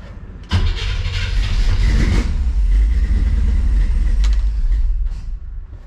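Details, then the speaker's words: 1957 car with a new Pertronix module replacing points and FiTech throttle-body injection, timing not yet set: it cranks, then catches into a rough, uneven low rumble for a few seconds before dying, firing only on fuel dumped into the throttle body; spark confirmed, fuel delivery at fault. "so it's still not timed but it does fire when i add gas to it so we got spark"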